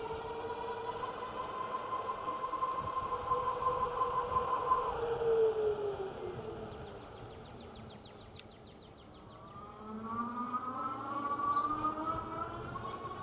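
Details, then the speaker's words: Engwe L20 3.0 e-bike hub motor at about 23 mph under power, thin whine rising and falling with speed over tyre and wind noise, quieter around 20 mph; normal motor whine. "Yeah, you can hear the motor whine a little bit on this particular bike. Something to be aware of. It's not It's not, uh, objectionable. It's just that you got to know that you will hear it."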